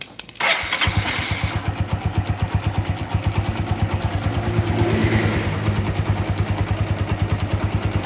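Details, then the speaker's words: Yamaha Megapro single-cylinder motorcycle, weak power, starting and idling: light, rapid metallic clatter from a slack cam chain; slight throttle brings a stronger knock. "itu rantai ketengnya kendur jadinya bunyinya kayak gitu"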